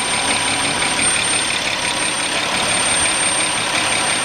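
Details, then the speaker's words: 2007 Audi Q7 3.6 warming up, whistle appearing at 63–65 °C coolant and growing, not rising with rpm: thin steady high whistle over warm idle; vacuum leak, possibly from a torn crankcase ventilation membrane in the valve cover, with power loss and ECU codes. "сейчас прогреваю двигатель и мне нужно показать свист такой появляется при прогретом двигателе вот при температуре 63 градуса легкий свист появился при 64 сильнее при 65 уже вот этот Явный слышно и он еще немножко увеличится"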